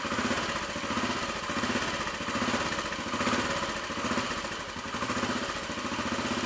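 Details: Royal Enfield Bullet 500 single idling slowly just after start-up, not yet warm, following head gasket replacement, exhaust blow fixed, baffle removed and carb needle raised: loping, even thump with deep exhaust boom; healthy.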